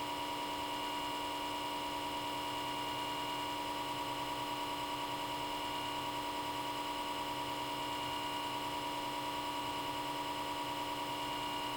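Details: Comcast Xfinity X1 DVR cable box: the small left-side cooling fan spins up at power-on and hums loudly at high speed nonstop, even with the box turned off, until it is unplugged; a steady high-pitched whine.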